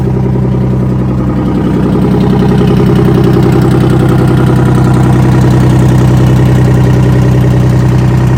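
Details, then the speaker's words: Detroit Diesel 6V53 two-stroke in 6x6 off-road Kenworth/RFW garbage truck with Allison automatic, restarted after sitting at least 4 years: steady, even run with a strong low drone, no knocks or misses; running well. "The motor's also running quite well. It's very unfortunate about our camera on startup. It didn't work, but it did start up fairly easily and it started up really well."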